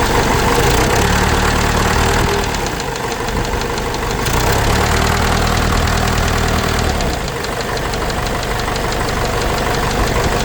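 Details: Case 586E forklift with 4BT diesel, idling after a new oil pickup tube replaced a dented one; a heavy, fairly regular knock about four times a second persists over the rumble, cause still undetermined.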